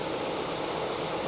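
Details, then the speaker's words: Honda with about 190,000 miles, 24 years old: steady, even idle rumble with no knocks, ticks or whine; engine sounds solid and healthy, AC cycling on and off. "solid as a rock 190 something th000 miles 24 years old and she sounds good"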